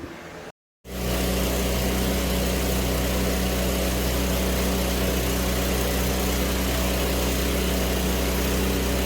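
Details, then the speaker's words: Weldanpower 250 G9 Pro engine-driven welder, set on AC at 90 amps, fan running nearby: after start, a very loud steady even drone holding one speed, no knocks or surging; engine running normally. "I'm going to nickname it the monster cuz Jesus Christ it sounds like it's about to come through the wall at you man it's loud all right and it just kind of stays loud"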